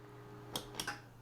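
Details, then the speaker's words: PC being powered off: over a faint steady hum, two or three sharp little clunks within half a second, the hard drive heads parking at power-off. "Ooh, did you hear the hard drive head clunk?"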